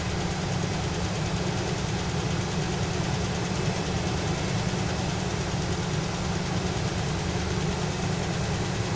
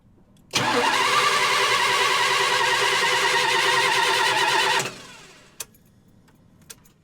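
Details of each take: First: 1977 GMC motorhome after replacing the faulty HEI ignition coil: smooth, constant low idle rumble with no misses, knocks or surging; ignition no-start fixed. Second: 1977 GMC motorhome with HEI ignition, cranking with a screwdriver spark test at the valve cover: starter spins evenly three to four beats a second for four seconds, never catches. There is no spark; the HEI ignition coil has failed.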